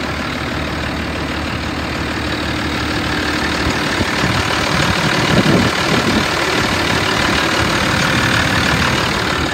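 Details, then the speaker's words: 1988 Ford F-800 crane truck, 7.8 L diesel with 5-speed manual, 14,329 miles, warm after running over an hour; steady, even idle clatter with no miss or knock, smooth normal idle. "this one has a 7.8 l diesel engine with a 5-speed manual transmission I've had it running for over an hour it idles smooth and revs up good"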